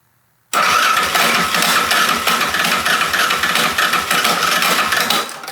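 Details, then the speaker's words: Rebuilt Yamaha Raptor 660 with an aftermarket stator, first start attempt without choke: the starter whirs fast and thin with only a weak, uneven chuff and no real compression beat; starter clutch slipping, needs replacing. "Oof, it sounds like the starter clutch might need to be replaced. It really does. Yeah, the starter clutch definitely needs to be replaced."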